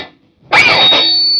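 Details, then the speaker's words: 2011 Rickenbacker 360/12C63 twelve-string through an amp turned up loud with the noise gate engaged: after a short pause a loud, steady high-pitched feedback squeal jumps in and holds. "I have to engage The Noise Gate to get this crazy feedback to actually start coming through the speakers"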